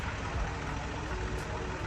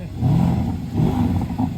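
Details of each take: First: Range Rover SUV with a known engine problem idles with a rough, rattly clatter over a heavy low rumble; cause not confirmed. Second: 4-litre AMG V8 car at auction, 101,000 miles, two owners, nine main-dealer services: two clean rev swells rise and fall smoothly with a deep, even note and no knocking or ticking; the engine sounds healthy.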